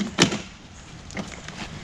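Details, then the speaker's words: Rad Rover e-bike: one sharp, loud metallic clack as the kickstand flips up. The kickstand mounting bolts keep working loose after a ride or two despite retightening, and the stand also bounces and rattles while riding. "that is the kickstand on this bike it comes loose constantly and it's loud I'm gonna let me put it up for you so you can hear how loud this thing is it's lad man"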